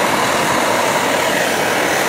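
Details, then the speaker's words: Optimus Hiker Plus liquid-fuel pressurized stove burner at full blast, kept pumped up; steady, even roar with hissing top, no sputter or pulsing, plenty of heat: normal burner roar at full power. "So a great little stove here, lots of heat coming off of that. Put it full blast."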